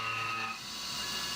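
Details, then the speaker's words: CNC milling an AR15 gasblock, aggressive roughing, spindle override briefly reset toward 2125 rpm: high shrill ringing over the cutting hiss; end mill chatter, sounds bad at this speed. "but uh it's still a bit chattery so 2125 would certainly be more chattery and i actually uh reset the override later in this program just for a moment you can hear how bad it sounds"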